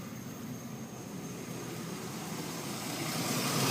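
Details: 4.3L Vortec engine at idle; quick steady clicking, about four per second, seeming to come from the distributor; cause unknown.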